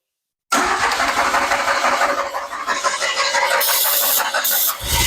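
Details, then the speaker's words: 1981 DeLorean, 4,690 miles, revived after sitting 27 years: starter spins engine steadily with only a faint cough or two, never catches; some spark present, no start. Cause not yet found. "We got a little cough. I'm going to check spark here pretty quick, even though I know I did hear spark, because I heard it cough a couple of times, so I know we got some type of spark"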